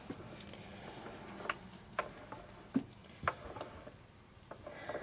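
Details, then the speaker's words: 1941 74ci Knucklehead bobber, gearbox rotated slowly by hand after a badly deburred speedometer drive gear causing most drag was found: dull uneven chunk-chunk-chunk about twice a second; other issues remain, source unconfirmed. "there's still other issues in there you hear the unevenness as rotating it the chunk chunk chunk noise"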